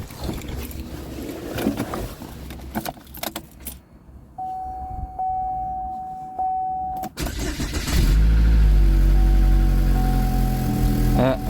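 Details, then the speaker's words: 2012 Chevy Equinox after engine install: after handling noise it idles with a loud, steady low puffing rumble; air visibly pumping out of the muffler, a suspected muffler exhaust leak. "hear a fair amount of exhaust noise see if we can pinpoint oh i see it i think the muffler might have a leak i can see air pumping out of it"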